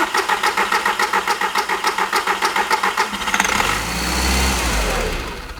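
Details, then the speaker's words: 2006 Audi TT Quattro 1.8 turbo, crank-no-start: steady starter cranking about three and a half turns a second, then it catches and runs on a small shot of starting fluid sprayed into the intake, showing ignition is present but no fuel delivery. "So I'll give it a start, and then I'll have Mrs. Wizard crank. Okay, go ahead and give it a crank, Mrs. Wizard."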